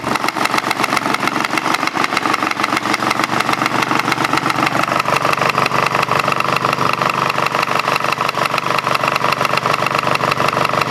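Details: Craftsman GT5000 lawn tractor twin after woodruff key replacement, run without cooling fan and housing: fast, uneven chuffing at steady idle with shaky, lumpy beat; rough running, cause unknown, owner doubts crankshaft or weight problem.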